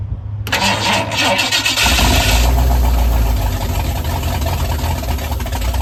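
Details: Ford truck V8 with performance cam, first start after fixing spark wires and fuel (40 psi fuel pressure): catches after short crank, settles into deep uneven choppy lope; lopey idle from performance camshaft.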